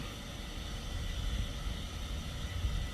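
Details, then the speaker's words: 2007–2013 BMW X5 E70 replacement air suspension compressor installed, pumping up from rear-left 9, rear-right 12 readings: steady low hum, no knocking or rattling; car visibly lifting, compressor healthy. "so hit up and see if it pumps this thing up so I can hear the pump can hear that pump down there"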